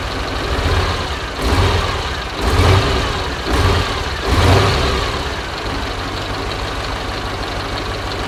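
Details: Soviet-era Kamaz diesel truck, first start after over 6 months storage, just after field oil change, filters and new air filter: deep steady idle with a few surges in first seconds, then even running; smoke attributed to long sitting; normal.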